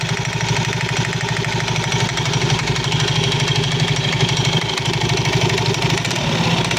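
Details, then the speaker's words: Soul GT 115 scooter idling with loose clattering knocks about three a second from the CVT side; usually caused by looseness or wear in certain CVT parts, not yet checked. "sol GT 15 keluhan motornya di bagian CVT kelotok-klotok seperti yang teman-teman dengar ya"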